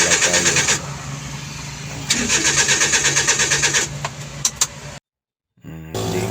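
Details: DA63T with K6A engine, crank no start: the starter cranks steadily at about three turns a second but the engine never catches. Fault traced to poor contact at the ignition fuse.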